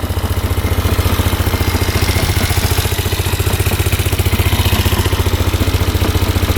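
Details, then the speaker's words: 2005 Polaris Sportsman 400 4x4 ATV used for plowing, held at full throttle. The single pulses and stumbles instead of pulling smoothly, almost like bouncing off the rev limiter, and it doesn't reach full speed though it picks up when accelerated gradually. Breaking up, cause unknown. "break up here this is full speed right here so obviously something wrong you hear that breaking up pretty good"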